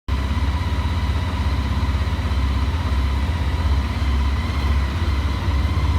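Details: Honda ST1300 motorcycle engine idling with a deep, uneven knock pulsing about three times a second; engine knocking at idle.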